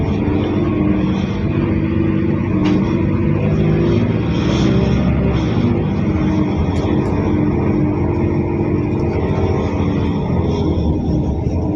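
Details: Mercedes OC500LE bus SMB107L on service 985, formerly at GBDEP on 190/190A, recorded while riding aboard: the engine was previously normal but now sounds like a big metal box, a deep diesel drone with a hollow, boxy metallic resonance; cause unknown.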